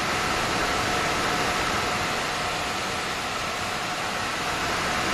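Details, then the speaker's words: Gigabyte RTX 3070 Vision graphics card, nearly 3 years old, screen goes blank during games: a loud, steady rushing fan roar with a faint tone on top as the fan spins at abnormally high RPM. "So today, I checked for a symptom where the graphics card fan spins at high rpm and the screen goes blank during the game."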